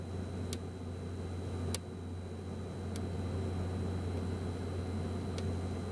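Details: be quiet! Dark Power 12 1000W PC power supply after 40 to 60 minutes under heavy load: sharp, irregular random clicks, single or in short series, over a steady low hum and faint high whine; the unit was replaced under RMA.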